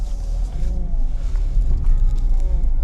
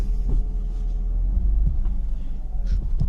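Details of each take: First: BMW E36 328i driving after a new rear differential bushing cured the knocking from the back: steady low road rumble, no knocking or clunking from the rear; differential sounds quiet and healthy. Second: BMW E36 328i, mic near rear diff, handbrake test then driving: dull uneven knocks over steady low engine hum, worse with throttle; rear diff visibly moving on a worn, recently replaced diff bushing.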